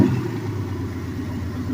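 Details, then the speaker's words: Turbocharged small-block Chevy 350 V8 with turbo blanket, Silverado pickup daily driven two years: deep, steady idle rumble with no ticking or knocking; engine sounds strong and healthy. "Yeah, she's pretty beastie. And you can do this to any 305, 350."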